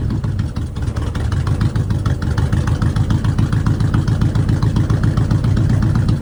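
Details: '53 Ford F100 on Crown Vic chassis, just after plugs and coils changed: low, uneven thumping idle with irregular lumpy pulses; running rough, owner suspects it wasn't reassembled right.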